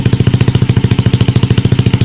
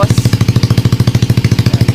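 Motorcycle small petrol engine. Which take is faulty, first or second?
second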